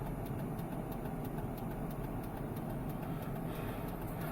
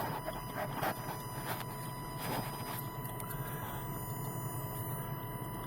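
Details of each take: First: 1997 Chevrolet Silverado K2500 idling with LED turn signals, before replacing the flasher relay: fast, regular relay ticking as signals hyper-flash; new EFL-6 relay fixed it. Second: 1997 Silverado K2500 with LED turn signals, after replacing flasher relay with Standard Motor Products EFL-6: crisp steady clicks at normal pace over faint idle, hyper-flash fixed, still slightly fast.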